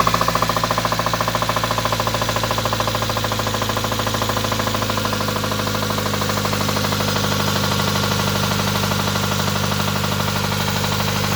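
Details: Nissan R'nessa engine at idle with spun bearings; loud, steady metallic rod knock at about three beats a second deep in the block; smoke rising from somewhere, possibly from under a hose; the engine is scrap.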